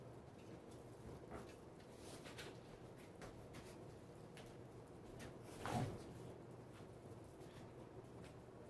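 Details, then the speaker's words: 1992 Casablanca Lady Delta 42-inch ceiling fan, Samsung K55-type 140x38mm motor with newly replaced bearings, on high speed: soft steady airy hum, low even drone, no ticking or grinding; normal running, moving lots of air. "But anyways, this fan does kick out tons of air on high speed."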